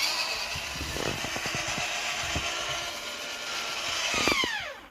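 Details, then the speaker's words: Roof vent lid on a new 2024 Winnebago Solis 59P (Ram ProMaster 2500), after 3000 km and one month: sharp clicks and pops, then motor whine that drops and stops. The lid sticks and is slow to open; owner suspects something is gluing it down. "so the issue here that I have I think that something somewhere is gluing this down and uh I would like to know if it's possible to have this adjusted also"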